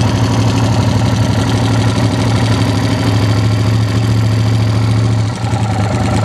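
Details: Yamaha TRX850 engine: steady low idle with a faint repeating tap riding on the beat; mechanical noise, cause undetermined; abnormal engine noise at idle.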